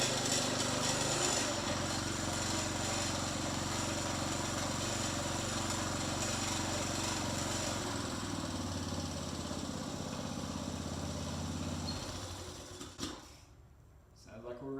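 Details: Briggs & Stratton 3.5hp front-tine tiller after carburetor diaphragm replacement: the single-cylinder engine holds a steady, even beat at fast idle, then shuts off cleanly, so it is running normally.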